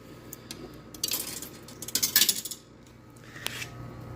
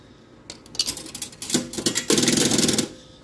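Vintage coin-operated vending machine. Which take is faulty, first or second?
first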